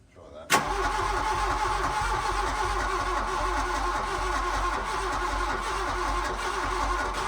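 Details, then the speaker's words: Mk1 VW Golf GLi Karmann Cabriolet parked 31 years, fuel pump now giving pressure: cranks at a steady, even rhythm for several seconds but never catches; suspected dirty injection system, possibly firing on one injector; cranking without starting. "I think he's saying yeah I think it's only firing on one inj"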